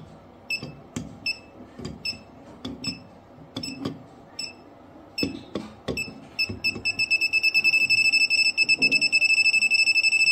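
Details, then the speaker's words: PeakTech P 3432 non-contact fuse finder: scattered chirps, then fast steady high beeping as the receiver sits on the right breaker, fuse number six, locating the socket's circuit. "I think this was this is our fuse number six so for this ones it's just beeping slightly"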